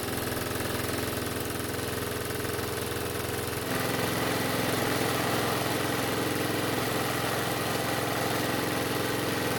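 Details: Curbside Toro mower said to run but smoke, test-run fuelled by squeeze bottle for about two minutes before running out of gas; steady single-cylinder putter at a low, even beat lifting slightly; engine running slightly slow, low governed speed.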